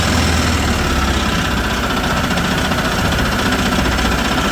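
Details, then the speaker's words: 2010 Yamaha Drive G29 golf cart single-cylinder engine after carburetor and fuel system cleaning cured a slightly lean run: fast, even putter with no stumbling or popping; healthy. "it did uh fix its little run issue it was just a little bit lean before but but it's doing good now"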